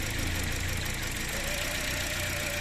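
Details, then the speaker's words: Toyota Corolla (2013/2014) misfiring with stumbling, weak torque: idle note keeps changing, uneven lopsided beat with shaky undertone; coil swapped from cylinder 2 to 1 to check, misfire traced to faulty ignition coil. "يا شباب حاليا المكنه فيها زي ما شايفين المكنه صوتها بتغير تتغير"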